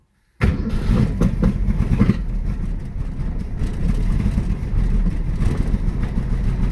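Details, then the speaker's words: 1965 Ford Mustang coupe that hadn't run since the previous year, idling just after the points were set, the plugs cleaned and the timing adjusted: rough, shaking idle with irregular thumps and stumbles. Aggressive misfire at idle. "shaking a little bit well sounds like it's missing [Music] it's pretty aggressive missing almost a"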